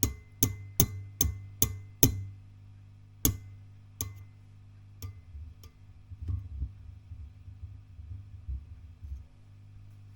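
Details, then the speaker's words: WEM Dominator MK3 guitar amplifier (came in with a blown power transformer) on a service check: a steady low mains hum with loud sharp pops each time the EL84 output valve is tapped, slowing and fading. The valve is failing and was replaced with another Mullard. "if we you can hear that I'm afraid he's not looking good"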